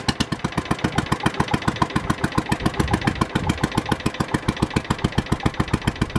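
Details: Early Kohler K181 8 hp single-cylinder engine for a Panzer T75 tractor, first bench run: heavy sharp thumps about 3.5 per second, firing a little hard because early K181s have no decompression lobe on the cam.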